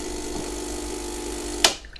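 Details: Lelit Anita espresso machine after reassembly and lubricating the metal pulley and plastic gear with gear grease: steady buzzing hum that cuts off cleanly with a click; pump running normally.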